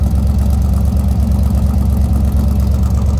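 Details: 1957 Ford Ranchero with a 292 V8 and automatic transmission, heard from the tailpipe: even, steady low rumble of about three firing pulses a second, no misses or knocks. Normal idle.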